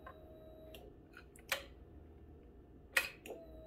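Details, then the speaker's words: Honda CBR600RR (2003–04 model, head pipes just refitted, fresh gas) at key-on before first start: soft steady whir under a second then a few clicks as the key cycles; fuel pump priming normally. "Oh, moment of truth. Key in, engine on, prime,"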